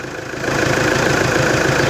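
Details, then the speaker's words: Toyota Hilux D4D diesel after refitting the alternator and correcting belt-to-pulley clearance: steady, even idle clatter with no belt squeal or chirp on top; the alternator belt noise is gone and the engine sounds healthy. "Acabou a gritaeira da correia. Glória a Deus."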